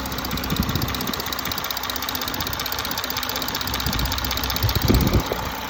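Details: 2017 Audi A5 3.0 TDI Quattro 218 PS at idle: light, quick ticking about four per second over a steady diesel idle; owner suspects chain tensioner failure, unconfirmed.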